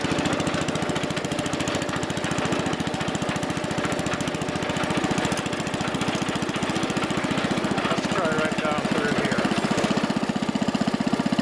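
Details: Wheel Horse Commando 800 tractor with a pull-start engine driving a sickle bar mower, after replacing old belts: steady even beat of about four pulses a second, smooth unchanging chug; normal running.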